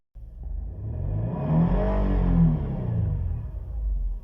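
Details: 2008 Nissan Murano 3.5 L V6 after a multiple-cylinder misfire fix with spark plug and coil work and cylinder cleaning: revs up smoothly and settles back, even, steady note, no stumble or miss; normal rev.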